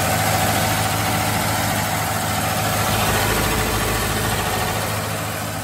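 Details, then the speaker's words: Chevrolet Nova project car after sitting for years, first run on a temporary boat fuel tank: even, steady smooth low rumble at idle with no misses or knocks; oil pressure light on; normal idle. "It runs really good. It runs great. Yeah, it's got a little bit fire, but it runs pretty good."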